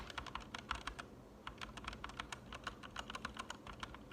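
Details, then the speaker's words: Newly lubed Gateron red switches on the O and L keys: crisp, even keystrokes with a soft bottom-out. The spring noise heard on the unlubed switches is gone. Smooth switches. "That sounds so much better. I'm clicking O and L right now, but once I've lubed. Yeah, like I feel like I can hear the spring on the unlubed ones."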